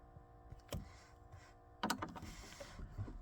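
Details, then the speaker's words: Jaguar XK (X150) cabin humidity and temperature sensor aspirator fan behind the steering wheel: a steady buzz, louder when the T15 mounting screw is tightened, as fan vibration carries through the mounting into the dashboard. "I think what's happening is fan itself is actually causing a vibration through the through the mountain through the dashboard so when I tighten that up buzzes quite loudly"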